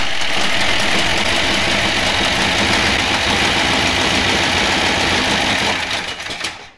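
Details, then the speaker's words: 1967 Dodge Coronet V8, newly installed engine on first start with cam break-in: fast busy tick about four per second over the idle; suspected header leak or pushrods, plus residue burning off. "i'll change rattling huh headers leak we got to find some push rods burning a little stuff off just some minor stuff"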